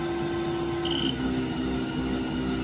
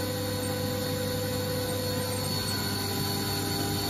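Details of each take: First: Haas VF-0E, 20 hp vector drive, 7,500 rpm spindle: hum sounds good at 6,000 and 5,000 rpm but wavers and hunts in pitch at 4,000 rpm; spindle sounded rough with high load cutting air before vector drive blew. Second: Haas VF-0E 20 hp vector drive machine after vector drive repair and spindle noise fix: 7,500 rpm spindle running at speed gives a steady, even hum with a low drone and fixed higher tones, no surging; normal.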